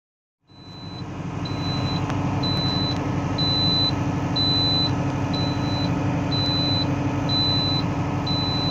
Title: alarme de óleo de transmissão trator Valtra bom 110